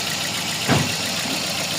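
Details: Toyota Vios with code P0354 at idle: steady idle broken by occasional heavy stumbles; cylinder four misfire traced to failed ECU driver for the #4 ignition coil and injector, needing repair.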